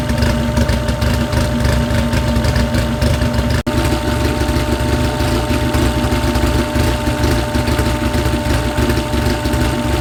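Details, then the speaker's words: Freshly built car engine being heat-cycled, run to about 160 degrees with water pump on, to burp air from the coolant: deep, even idle with a steady low rumble and no knocks or misses; running smoothly while warming. "we'll do it two more times to make sure we got all the air out but it sounds great it sounds helping I can't wait"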